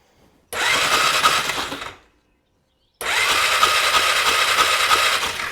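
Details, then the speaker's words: 2001 Polaris Scrambler 500 2x4, after trimming plug wire ends, BKR5E plug fitted: two long bursts of fast even cranking, no firing; cranking no start, no spark, CDI tests next. "Nothing. All right. So, we're not officially getting spark. Uh the plug wires are seem pretty good now."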